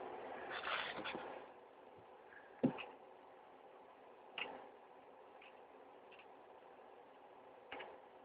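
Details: ReadyNAS NVX with four 1 TB enterprise drives at startup: its fans spin up to max then settle lower and quieter, with sharp clicks every second or two as the drives spin up; normal startup noise.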